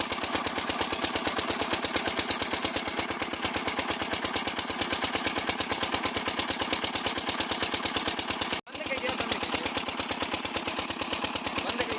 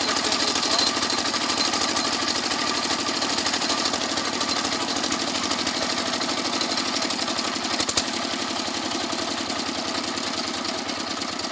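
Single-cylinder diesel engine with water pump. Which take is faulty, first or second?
first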